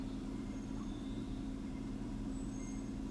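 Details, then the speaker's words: 2015 Chevy Camaro V6 with codes P0206 and P0300, at idle. Quiet idle with a faint uneven pulse under a steady hum. Disabling cylinder 6 changes nothing and the same vibration remains: that cylinder is dead from a failed injector, so it idles rough. "aquí no pasa nada absolutamente nada se siente la misma vibración"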